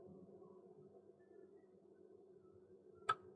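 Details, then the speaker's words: Vaillant 637 boiler showing F20 overheat fault, power restored, case being opened to check the pump: faint steady low hum with one click, no rattle or grinding; circulating pump is running and working normally. "so that's the pump circulating so the pump is working"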